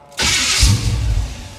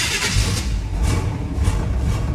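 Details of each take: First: 1977 Chevrolet Monte Carlo starter after fitting the thickest shim to stop grinding: short, clean crank with no grinding on engagement, just a slight whine; normal starter cranking, though engine didn't start. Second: 1977 Monte Carlo, cold engine cranking (electric fuel pump, no choke): a thin starter whine rides over the pulsing crank, meaning the starter sits too close to the flywheel and needs shimming.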